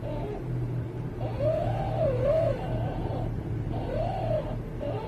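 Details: 2009 Volkswagen Touareg, noise when turning the wheel at low speed or at a standstill: a wavering, moaning groan rises and falls over a low steady hum; the cause was the power steering rack, which was rebuilt.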